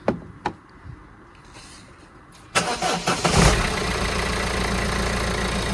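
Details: Citroen Berlingo diesel van, first start after timing belt, water pump and drive belt replacement with fresh coolant: a few quiet clicks, then catches first try and settles into an even, steady idle; healthy.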